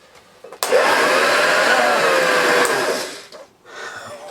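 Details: Restored Hoover Junior Dirtsearcher 1354A upright vacuum after refitting the brush roll and belt: motor spins up to a steady, even whine, brush roll turning smoothly with no ticking left; running as it should.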